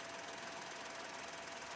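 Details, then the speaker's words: $1,200 used car in Denmark, heard at the engine bay with the engine running. Quick, light, regular ticking over a quiet engine. A valvetrain-type tick of unknown cause; the owner suspects it needs oil. "Probably needs some oil. It sounds like it needs oil. I should check that."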